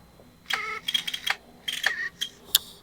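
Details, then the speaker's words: PSP 1000 UMD drive loading a disc: rough, uneven bursts of scraping and clicking for a couple of seconds as it spins up; grinds but still loads. "You hear that? It's loaded. That does not sound good though. Damn. Oof. That is rough."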